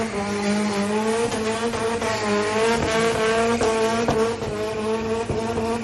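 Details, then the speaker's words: 1JZ-swapped S13 Silvia, about 500 hp on E85, first run on the Queensland Raceway main track: screaming high revs with ragged dropouts and sharp pops under full load amid tyre squeal. Misfiring and sputtering at high RPM and full load; cause unknown. "so we have run into a problem with the 1JZ she's missing she's sputtering and she's spitting at top end uh mainly at high RPM and full load but she still spins the tires"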